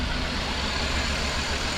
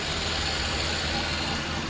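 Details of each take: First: 2001 Chrysler Town & Country at idle, customer complaint of rough shaking idle, code P0353 (coil 3 primary circuit): lumpy, uneven idle with a low thump that skips; coil 3 sparks but cylinder 2 has no spark, coil to be replaced. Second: 2001 Chrysler Town & Country after replacing ignition coil number 3 (code P0353, coil 3 primary circuit) for rough, shaking idle: steady, smooth, even idle with no stumbles or shake; normal idle after repair.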